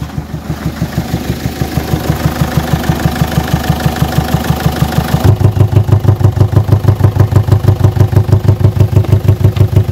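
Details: Peugeot 807 2.0 HDi (RHK) diesel, Siemens injection, idling: steady knock about three times a second, heavier partway through, with air-flow sensor readings jumping 380–480; mechanic suspects a hydraulic lifter/valve not filling, pulsing back through the intake; fault check suggested injectors. Unconfirmed.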